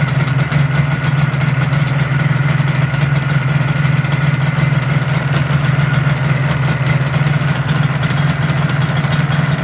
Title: 1985 RD350 ypvs start up after rebuild